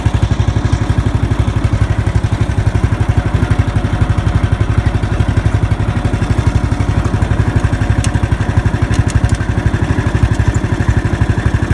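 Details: Murray riding lawn mower running after starter solenoid replacement with a universal solenoid: steady, even low thumping at an unchanging pace with no knocks or misses; the engine is running smoothly and healthy.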